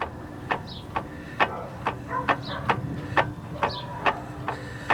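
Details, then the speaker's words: VW Jetta transmission-side inner CV joint, drive shaft rocked by hand: sharp metallic clunks about once a second from excessive play. The dust boot is torn, the joint is likely without grease, and it is worn. "Aquí estoy revisando la junta homocinética. De entrada estoy viendo que ya tengo la el cubre polvo roto y seguramente este está sin grasa, pero también tiene desgaste."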